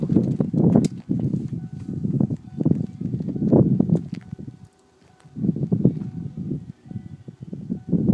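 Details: 1995 Ford F-250 7.3L Powerstroke diesel with a suspected bad glow plug relay, ether sprayed and battery on charger: slow rhythmic cranking for seconds with one short pause, never fires. Long crank, no start.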